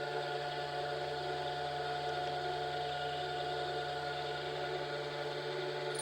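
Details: Tool grinder on a four-flute end mill, secondary clearance at 20°, Norton CBN wheel used for first time, a thou per pass: soft, even shushing hiss over faint constant hum, barely sounds like grinding; cutting smoothly.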